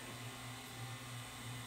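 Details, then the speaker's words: 1981 RCA VET650 VHS VCR after drum servo repair, assemblies refitted: low steady hum with even unwavering pitch as the head drum spins up and holds correct speed instead of overspeeding; playback speed detection still faulty. "sounds like it's going to the correct speed now okay that part's good"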